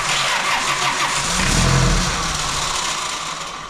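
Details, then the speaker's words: Fox body Mustang on a cold day, no ether, started earlier that day: starter churns with a brief ragged catch that dies away; cranks but won't start, cause unknown (cold suspected). "I thought you put a new starter on I think sounds like hell too let me double foot it here NOP all right not today"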